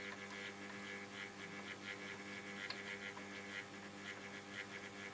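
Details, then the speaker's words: 1947 STC Bantam C141 valve mantel radio under restoration, B+ at about 150 V, antenna added: quiet steady mains hum and no station reception; the fault was a valve not fully seated in its socket. "nothing as yet hold on let's try an antenna getting ah no stations"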